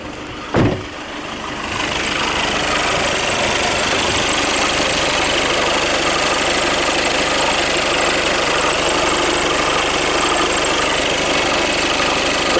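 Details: VW Passat B8 after camshaft sensor replacement for no-start/hard start: short crank, quick catch, then steady even idle with no misses or knocks; starts and runs healthy.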